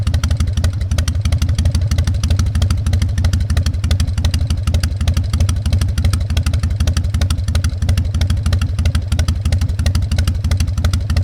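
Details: Harley-Davidson Fat Boy Evo 1340 V-twin, started after winter storage with a cleaned carburetor and jumper cables: deep, loping low potato-potato thump about three beats a second, steady and even, no knocks or misses; healthy idle.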